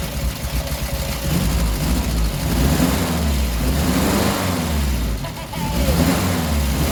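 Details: 1967 Triumph Spitfire MK3 abandoned project, first start-up: engine catches and revs up and down, uneven and lumpy at low speed, smoother higher up; rough idle needing a tune-up, carbs to be stripped and cleaned.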